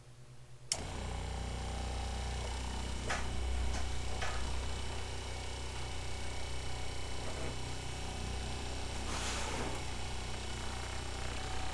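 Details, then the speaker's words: Kohree HY1733 12V 3.5 GPM 55 PSI diaphragm RV water pump, microphone pointed at the pump: it starts with a click, then a soft, even low hum with a light steady pulse, reading about 68–69 dB on a dB meter. Quiet, normal running. "when I stop talking it looks like the DB meter is showing wow right about 68 69 that is a huge difference in noise level and it sounds pretty apparent to me here just listening in"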